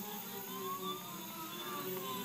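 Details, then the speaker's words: TB6560 three-axis stepper driver board under Mach3 control, three stepper motors running a programmed move (Z to 10): quiet whirring tones shifting pitch as axes move together, smooth, no skipping or grinding; normal stepper motor operation. "and you can hear it our three motor worked just as we expected"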